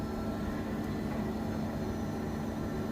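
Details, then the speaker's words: Bosch washing machine after rubber seal replacement, spinning up to 1200 rpm: smooth even hum and soft rush, no rumble or grinding; earlier very bad noise now gone, normal spin. "there used to be very bad noise when they were I I feel the clothes but now it's fine and it's spinning on more"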